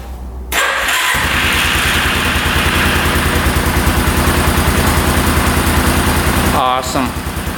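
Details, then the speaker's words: 1989 Yamaha Big Bear 350 4x4 ATV, after pushing out the spring on the other starter brush for better contact: brief whirring crank, then engine catches and settles into steady even idle; starter fixed, normal cranking and start. "we'll see if it's strong enough to turn over the engine but I push the other spring out on the other brush and uh seems to be making good contact now"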